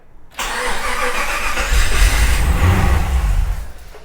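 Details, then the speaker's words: Project car after 2.5 years of work, first start attempt with VATS patches being disabled: starter churns, a few deeper coughs as it tries to fire but never catches; fuel pump heard not running. "Oh my God, it tried to fire. Okay. It tried to fire. I don't hear the fuel pump running."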